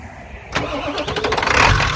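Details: Truck engine catches after short crank and runs ragged with uneven pulses and no steady idle; owner suspects failing cam sensor, Motorcraft replacement planned.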